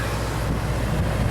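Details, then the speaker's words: Xplorer RV roof AC on a new deep-cycle battery, set to maximum cold: a steady, even roar of blower and compressor with a low constant hum and no rattles or surging. The air is getting cold, so it is running normally. "I hear the compressor running really good and I feel the air getting cold alright that is great oh yeah oh yeah get nice and cold excellent I got it turned as cold as it goes"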